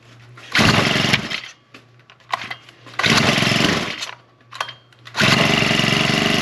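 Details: Second Husqvarna straight-shaft string trimmer, two-stroke, primed and started on choke then half choke with throttle; crisp blips to a steady high buzz settling to even idle, no stumbling; owner still suspects bad gasoline (trash seen in fuel). Normal running.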